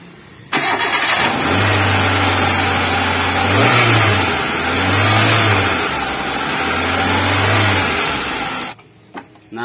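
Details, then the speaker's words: KIA Visto that would not start with no compression from a snapped timing belt, started after timing belt replacement: cranks and catches quickly, blips once or twice, then settles to a steady, even idle with no knocks or misses; runs healthy. "telah melakukan penggantian timing karena timing sudah rusak ini saatnya kita menyalakan mesinnya"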